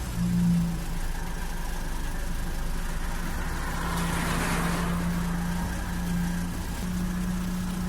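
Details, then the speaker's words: Renault Laguna 3 2.0 dCi 150 hp with damaged EGR valve still connected, just after start with grey smoke from the exhaust: low, slightly uneven diesel idle with wandering revs and a faint surge, then it stalls on its own. "Malgré le fait que le moteur fonctionne uniformément pendant un moment, faites attention à ses révolutions car il s'éteindra automatiquement dans un instant."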